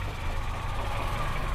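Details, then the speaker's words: Toyota Kijang 4-cylinder after an engine overhaul, points replaced by IC ignition, fitted with an extra fifth coil and plug: low, even idle rumble with no knocks or misses on first test start. Normal idle. "Ini coba kita hidupkan. Nah ini udah hidup."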